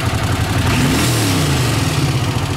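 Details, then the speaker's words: Honda CX500 twin, warm, throttle blips: revs climb quickly and drop cleanly with smooth twin note and no stumble; great throttle response now; normal. "but yeah great throttle response now runs great"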